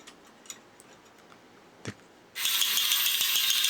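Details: Vintage Space Robot X-70 tulip-head toy with its motor running. Whirs up into a bright, fast, even gear rattle with steady ticking as the ramp sequencer gear turns toward the upper gear and cam that close the petals. Gearbox running normally.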